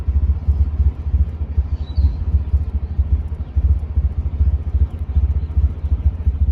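A low, lumpy idle with an uneven pulse and irregular dips and stumbles, the kind of unsteady beat a misfire gives.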